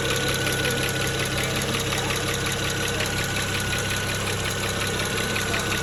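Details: 2009 BMW 335xi N54, injectors replaced three years ago with index 12, idling slightly rough, no codes: quick light ticking over lumpy idle, unlike the familiar N54 tick; owner suspects a bad injector, cause unclear.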